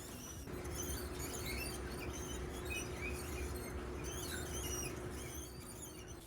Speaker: 우선 유압 브레이크에서 나는 쓱쓱 하는 작은 소음으로 패드가 로터에 닿아서 나는 소음입니다. 때때로 이렇게 새소리 같은 소음이 나기도 합니다.